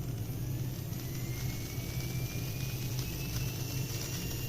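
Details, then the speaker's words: Arduino Uno driving a DC motor by PWM, first of a 5 Hz vs 490 Hz test at equal duty cycle: thin whine climbs smoothly in pitch over a low hum, no jerks. "आपने ध्यान दिया होगा कि motor की गति बिना किसी झटके के सुचारू रूप से बढ़ने लगी।"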